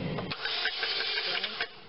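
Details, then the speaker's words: 2003 Chevy Cavalier 2.2L Ecotec crank-no-start: starter spins fast and light with even whirr, no firing, as if unloaded, belts turning; timing chain failure suspected, not confirmed. "it'll crank belts turning sounds like the starter is really rolling fast too almost like it's not loaded"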